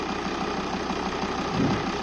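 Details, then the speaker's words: 2008 Volvo S80 2.4 D5 (120 kW) diesel at idle after fixing an A/C pressure sensor circuit fault (P0531) and recharging with 800 g of R134a plus oil: a steady idle with a faint click click as the compressor engages. Normal A/C compressor engagement. "and now we can even hear the click click of a compressor so that means the compressor is switching"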